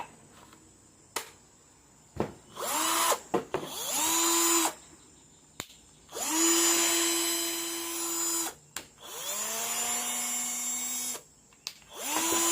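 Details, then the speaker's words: Cordless drill that had power but would not run when the trigger was pressed, after replacing the faulty trigger switch: repeated trigger pulls bring a clean motor whine up to steady pitch at varying speeds without cutting out; works normally again. "ครับเสร็จเรียบร้อยครับซ่อมเองง่ายๆนะครับเห็นมั้ยครับแค่เราซื้อสวิตช์ตัวนี้มาเปลี่ยนใหม่นะครับสว่านไร้สายของเรานะครับก็สามารถกลับมาใช้งานได้เหมือนเดิมนะครับ"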